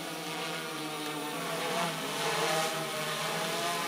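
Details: Hexacopter with its front-left motor cut in flight via an Arduino intercepting the ESC signal, climbing on limited power: steady buzzing propeller whine with wavering, uneven pitches, flying on the five remaining motors.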